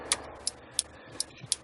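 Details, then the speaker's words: 1968 MGC after LED turn-signal conversion with new flasher unit: crisp, evenly spaced clicks about three a second, slightly different from the old unit; flasher cycling normally. "I've turned to turn on the right blinker and you can hear click click so this flasher unit has the sound the clicking sound just like the old one I mean it sounds a little bit differently but it's it's indicating the way it should"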